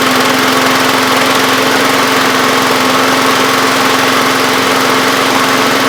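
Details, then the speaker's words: Briggs & Stratton lawnmower that previously wouldn't run or start, after a tune-up with a new blade, spark plug, cleaned carburetor, new needle and seat, and carb gasket: steady even buzz at constant speed, no surging or misses; running normally. "but this lawnmower wasn't running and it would not start before I started tuning"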